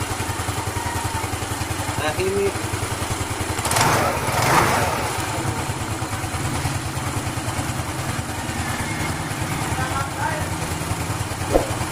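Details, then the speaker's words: Yamaha Nouvo Z scooter after CVT cleaning that cured belt flapping: steady idle with a brief throttle blip, no flapping or banging from belt drive; transmission sounds normal. "Normal lang yung ingay niya yan sa mga gear niya yan. Hindi na siya kumakalag na."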